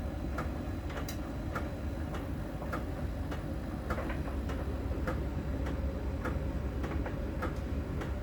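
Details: Miele dryer during drying: light, crisp ticks about every half second over a low, steady drum rumble. A small ball sensor rolls over the drum and ticks at a contact spot on the drum's outer surface; this is normal sensor ticking.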